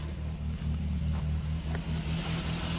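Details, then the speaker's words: Barn-find Triumph Spitfire idling just after first start in about 40 years, carburettors rebuilt and coil lead reconnected: steady, even low note with a smooth regular firing pulse, no knocks or misses; carburettor still needs tuning. "look it's just sitting here idling after just starting up for the first time in like 40 years it's crazy I mean the carburetor needs tuned up a little bit"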